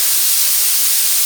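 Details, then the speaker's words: Victor-style oxy-acetylene cutting torch set to a neutral flame with the cutting lever held down. The cutting oxygen jet gives a steady, even high hiss with no sputter or popping, flowing normally while being fine-tuned. "Right, there's where we want to be. We're going to hold the cutting lever down"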